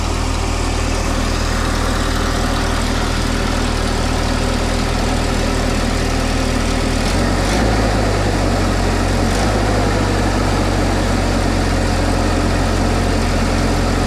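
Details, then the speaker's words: Mini forklift engine, propane-fuelled, warming up with radiator suspected of leaking coolant: holds a fast, steady drone that never drops to a slow idle; idling really high, traced to a binding throttle cable. "it's idling really high. We're gonna have to work that out."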